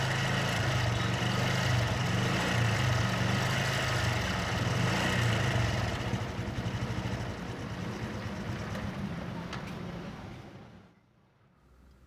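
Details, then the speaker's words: Honda Blade 125 at steady idle with oil seepage: harsh, fast metallic clatter rides on the engine note and dies away at shutdown; worn, slack cam chain rattle. "Holy ada rembesan oli ya dan suaranya sangat kasar kita coba dulu"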